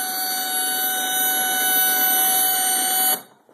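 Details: Vizio TV about two years old, doing this since new: screen freezes with a loud steady high-pitched buzz with shrill overtones that cuts off abruptly; recurs every few days, must be unplugged and replugged, then works fine; cause unknown.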